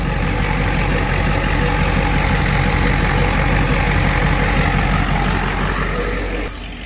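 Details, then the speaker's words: Ford 7.3 diesel idling with the brake booster vacuum hose disconnected, during a soft brake pedal check: a soft, regular pulsing about three times a second from the vacuum pump side. A pulse heard with the hose connected would point to a vacuum leak. "So right here, you can hear like a pulsing sound. So you're gonna just listen for that noise."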